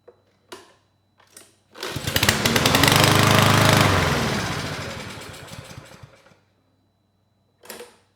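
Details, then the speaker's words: Roadside-found lawn mower, model 11A-B2M7031, given carb spray: it cranks, fires and runs evenly about four seconds then dies, showing timing, spark and compression are good; runs briefly on starting fluid, fuel delivery fault, likely bad fuel and carburetor. "right that's all I needed to hear the engine it sounds good we know we have timing spark and compression fuel is the problem here"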